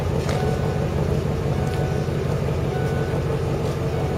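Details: Lincoln Mark VIII V8 after cold start, having sat unrun since November over winter: even, steady low rumble with no knocks or misses, settling smoothly; normal cold idle.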